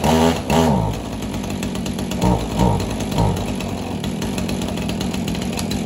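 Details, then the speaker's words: Husqvarna 445 chainsaw started for the first time after over 10 years unused, warming up so fuel flows through the carburetor diaphragms: brief blip, then steady, even idle buzz with no misfire or surging; normal running. "I'm gonna let it run for a bit you can hear it hopefully you can hear me right now but I'm gonna let the diaphragms really get the gas running through them again sometimes they're pretty stiff"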